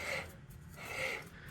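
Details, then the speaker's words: 2005 Mazdaspeed Miata differential with new mfactory 3.30 ring and pinion, backlash 3.5–4 thousandths, hand-turned dry with no lubrication before pattern check; light dry rasp, no knocks or grinding; normal dry gear mesh. "Right now this gear is dry, there's no lubrication in it, it's brand new, and you can hear it. That doesn't sound bad, that's just a dry gear,"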